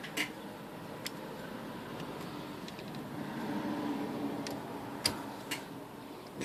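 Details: Smith Corona electric portable typewriter with O-rings fitted as replacement drive belts: small motor hums steadily with a few sharp clicks and a slight squeak; O-rings run a little loose and noisier than the original V-belts.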